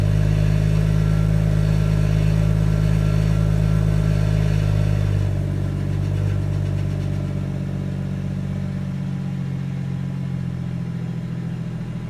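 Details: 2017 BMW M140i xDrive, new, 1000 km, standard exhaust, cold start in Comfort mode: high idle with deep steady drone settling lower after five seconds, faint metallic edge; strange metallic noise, cause unclear.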